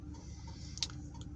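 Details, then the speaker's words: 2 kW night heater in a van, dosing pump set to 3 Hz full output, each pulse sending a little fuel to the heater: light, sharp ticks over a low steady hum, normal pump operation. "So I've got it set to 3 hertz at the moment, so that's pulsing 3 times a second. And every pulse obviously sends a tiny amount of fuel to the heater."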